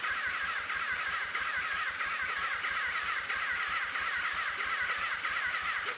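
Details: 1983 Honda Nighthawk 650, sat since 1987, first start attempt: starter spins the engine in steady beats but it never catches; fuel system was air-locked so no fuel reached the carbs.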